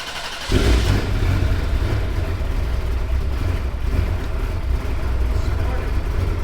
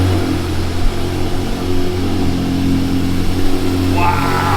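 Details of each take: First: Ferrari flooded in July 2025 Texas floods, new battery fitted and wiring redone, after long crank following sitting: sudden loud low rumble catches after half a second and holds steady; hard start, blamed on sitting, not confirmed. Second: Flood-damaged manual Ferrari, just restarted after July 2025 flooding with new battery and redone wiring: steady even hum with low constant drone, no knocks or misses; running strong.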